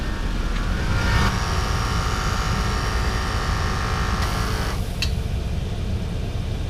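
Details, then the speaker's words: High-mileage Lexus GX470 after replacing the leaking rear air springs, during the refill/reset procedure: over the idling engine the compressor hums about 3.5 seconds, then stops. There is no air hissing, unlike before; operation is normal. "I don't hear any hissing, which is a drastic improvement over previously. I definitely heard air leaking."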